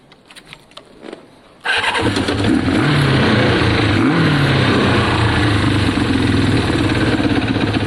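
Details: Kawasaki ZL600 after fixing running on two cylinders (coil and wiring fixes): engine catches after a couple of cranks and settles into an even, smooth twin-cylinder idle with no misfire or stumble.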